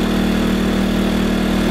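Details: New WEN 2000-watt inverter generator on its first run after unboxing, bought for an Aliner camper. It gives a steady, even hum at a constant tone with no knocks or surging. It is running smoothly and sounds healthy.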